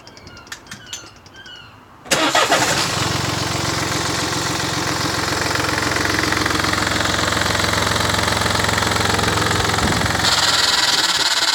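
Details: 2015 Mini Cooper Diesel F56, filmed from outside near the engine bay: starts, runs evenly, then shuts off, with faint sharp clicks in the quiet. The clicking comes whenever the car is turned off and sometimes while driving.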